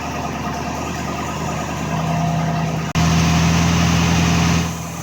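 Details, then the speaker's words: MG Magnette ZB coupe with V8, automatic choke, just started cold, heard near the exhaust: brisk, steady burble at raised idle, smooth and even with no stumbles or hunting; normal three-minute fast idle. "now we've gotta let it idle like this for about three minutes on fast-idle remember it's automatic"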